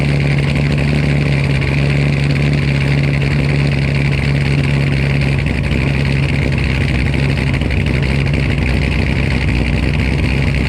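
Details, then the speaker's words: V8 after swapping to new TSP blower cam, first startup: deep steady idle with slightly choppy, lopey beat, more tone than before; runs evenly and sounds healthy. "Yeah, that sounded freaking crazy. I ain't gonna lie, I did not expect it to be like that. Some of you might say it sounds the same, but I can definitely tell a difference."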